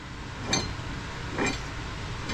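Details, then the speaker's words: 2005 Sea-Doo RXP with many hours, jet pump shaft turning: three gritty scraping rasps about a second apart from a worn, rough pump bearing, judged bad and likely to last maybe another six months. "the pump it's it's bad put it back on it will last probably another 6 months if that"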